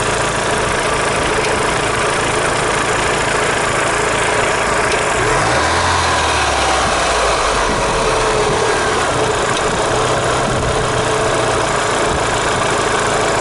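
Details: Daewoo Lanos 1.6 16V after head gasket replacement and head skim for coolant loss (lifters tapped cold before repair): steady idle with a faint, uneven tapping about three times a second; owner suspects a botched repair or a failed pulley.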